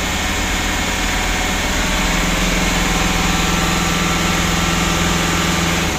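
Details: Mitsubishi Pajero Sport Dakar, about 2012, diesel, after removing, cleaning and refitting the turbo that caused a rough rattling noise: even diesel clatter held at raised revs, no rattle or scraping from the turbo; turbo now quiet.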